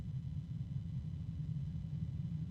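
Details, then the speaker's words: Barrow RGB 120 mm fan being sped up from its lowest speed: a steady low hum under a soft rush of air, with the hum persisting and rising in pitch as it speeds up; the cause of the hum is not clear. "it rapidly gets noisy it's got a low hum and then there's the medium noise of the wind and that low hum is persisting as is the wind of"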